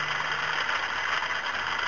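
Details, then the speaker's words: 2008 Dodge Ram 2500 5.7 Hemi during water pump replacement: steel idler pulley below the tensioner gives a steady gritty whirring hiss, not very loose but rough; worn idler pulley bearing, to be replaced (13 mm bolts). "That doesn't sound very good either. It's not that loose, but it sure doesn't sound good."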